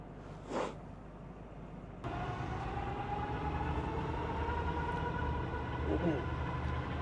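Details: Dodge Ramcharger V8 after a valve seal replacement, still smoking from the driver-side tailpipe: after a short quiet spell it catches and settles into a steady, even low rumble with no misses or knocks; idling normally.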